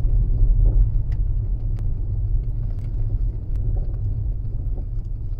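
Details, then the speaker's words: Tesla Model S while driving, rattling again after about 3,000 km of quieter running: scattered sharp irregular ticks over road rumble, coming from the front right; something loose, not yet found. "wieder Rappeln im Auto. Hört ihr das? Da. Nichts, jetzt wieder gleich. Von rechts vorne."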